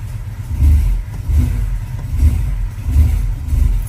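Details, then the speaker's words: Honda Civic just after a new fuel filter was fitted and the system primed: a deep idle surges and sags about every second and never settles, close to stalling. Rough, hunting idle, cause unknown; a fuel pump has been ordered. "I don't know if you guys can hear that but it's kind of struggling on idle oh no it's B to"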